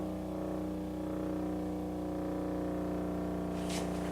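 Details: 1936 Philco 116x tube radio (built July 1935), first power-up after restoration with voltage partly raised: a loud, steady low buzzing mains hum that tone changes but volume, dial and band don't, pointing to an open speaker field coil.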